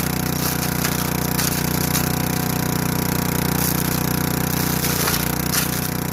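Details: Craftsman Eager 1 4hp chipper vac (model 987.799790, auction flip) chipping sticks. Steady, even drone with sticks rattling through in short bursts, keeping speed; bent sticks don't feed. Chips cleanly, normal running.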